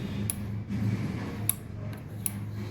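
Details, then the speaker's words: Water heater (geyser) thermostat switched on during continuity testing: sharp crisp clicks over low room hum as contacts snap closed, meaning the thermostat turned on and works. "ये cut देख आवाज आ इसका मतलब ये on हो गया ठीक है अब ऑन है"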